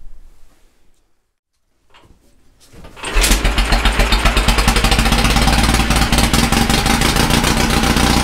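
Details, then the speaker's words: Caterpillar D2 5U7968 starting engine first run after carburetor rebuild with new shaft seals and starting system refurb; fires after quiet lead-in and settles to an even, regular putter with no misses; normal idle. "idle's like a champ"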